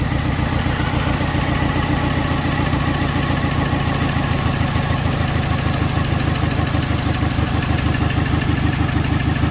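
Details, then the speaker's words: Mini Cooper after the cylinder heads were refitted, idling with an uneven, lumpy beat and vibration as one cylinder misfires. "it's like it's missing it's firing"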